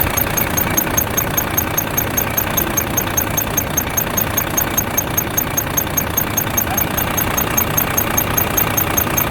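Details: Volvo FH13 truck diesel at idle after rocker arm replacement: crisp even squeaky ticks about 2.5 per second from under the valve cover, front of engine, not the belts; rocker arm squeak.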